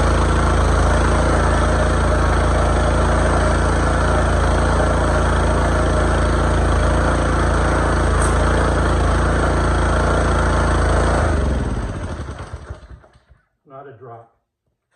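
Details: Pressure washer after repairing the broken brass water intake on the pump, started on choke with hose connected: steady, even small-engine drone with regular firing and no misses or knocks, then a clean shutdown; runs healthy.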